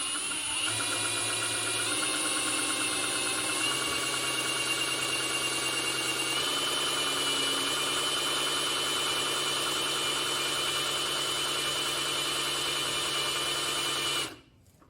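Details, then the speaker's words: Rebuilt 235 six-cylinder in a 1959 Chevy Apache 1-ton, oil pump primed with a drill before first startup: steady drill whine that drops in pitch and bogs as the pump catches and starts pushing oil. "i'm gonna just see if i can prime this thing up usually you can hear it bogged down when it starts pumping oil"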